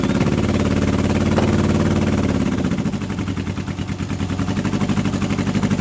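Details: Old Honda CB750 K four-cylinder project bike, first start in years on unleaded petrol with choke on; lumpy, choppy idle with uneven chuffing about three per second. Appears to run on only two cylinders; owner had expected a coil fault, cause unconfirmed.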